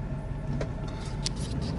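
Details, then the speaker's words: Car with lost power and hesitation uphill, exhaust opened ahead of a plugged catalytic converter: a deep, uneven, blatty idle with heavy low rumble. Power returns, confirming a locked-up cat; it had thrown P0300 after 80 miles. "well we definitely got our power back so yeah locked up cat is the word unfortunately it sounds like complete butt right now"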